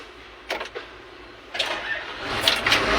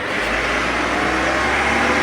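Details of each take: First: Backhoe that won't keep running: short cranking bursts, then the engine swells briefly and dies instead of holding idle. The faulty ignition switch was found and replaced. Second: Backhoe that would start then die, after replacing the faulty loose ignition switch: steady, even engine run without surging or dropping out; running normally.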